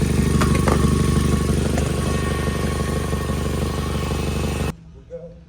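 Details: Engine-bay exhaust leak on a 2017 Nissan Altima SV at steady idle: sharp, regular puffing tick about three per second over the exhaust note, traced to a cracked exhaust manifold, reportedly a common issue on these; fixed by replacing the manifold.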